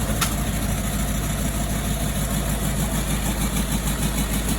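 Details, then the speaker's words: 2007 Range Rover 3.6 TDV8 turbo diesel, warming up after fitting reconditioned turbochargers, exhaust not yet reconnected: smooth, even idle with no knocks and a thin high turbo whistle through the open exhaust; healthy engine, intercooler oil still burning off. "also I don't have the exhaust reconnected yet so that's why you can hear the whistling from turbochargers"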